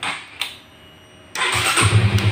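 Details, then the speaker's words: Honda CB150R fuel-injected after cleaning oil sludge off the neutral switch contact (new battery, relay, starter motor, button already fine): quick starter whirr, single fires straight into a steady, even thumping idle; starting now normal. "daerah saudara cukup buat Kalita coba ternyata kembali normal Hai masalahnya hanya ada di sweet netralnya tadi ya"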